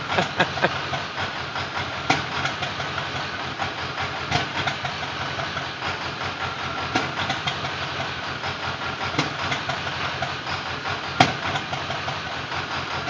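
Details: Ford Powerstroke diesel at idle: uneven beat with occasional sharp stumbles every couple of seconds over steady clatter, a misfire; a bad injector is the owner's suspicion, not confirmed.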